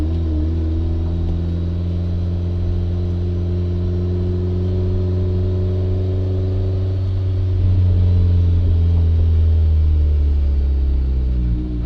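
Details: 1994 turbo Miata misfire under load: steady drone then wavers and stumbles as power drops out at half throttle or more, around 4000 rpm in second gear; fine at quarter throttle; new plugs, wires, cam sensor didn't help; owner suspects hard cut.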